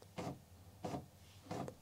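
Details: Commodore MPS 1500C color dot matrix printer driven by an Amiga, printing text in a selected font: three even rasping print-head passes about two-thirds of a second apart; prints normally, though not in color.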